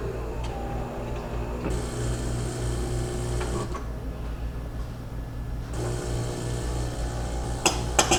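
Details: Saeco Spidem Villa super-automatic espresso machine after a leak repair (clogged drip path cleaned, new grommet fitted, water tank refilled), brewing a cup: low, steady pump buzz with grinder-like rasp and clinks at the end. It brews normally with no leaks.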